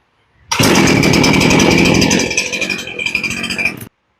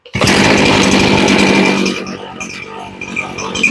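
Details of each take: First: Poulan Pro chainsaw that had sat unused; after the low-side carb screw was turned up slightly for more fuel at idle, it fires on the pull and settles into a steady, crisp two-stroke idle. It went from not starting to starting well, with idle unchanged. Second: Poulan Pro chainsaw being carb-tuned after long storage; buzzy high-revving run that sags and stumbles unevenly as it drops back, low-speed mixture screw turned too low, taking too much fuel out and running lean.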